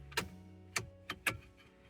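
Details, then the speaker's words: Toyota Previa blower relays for low and high speed: sharp, uneven clicks, about five in two seconds, with no fan motor spinning up; relays work but power isn't reaching the fan, suspected chewed wire under the dash. "so clicks on and it's clicking on and then for the high speeed it's clicking on so they're working it's just the power isn't getting to where it's supposed to go"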